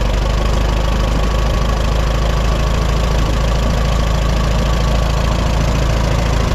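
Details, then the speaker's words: 1954 Allis Chalmers WD45 after splitting tractor for hydraulic seal repair; steady low idle in neutral, clutch engaged, with a dull gentle rubbing drone from the bell housing, not knock or grind, maybe quieter with running; cause unknown. "we got a strange rubbing noise coming from the bell housing"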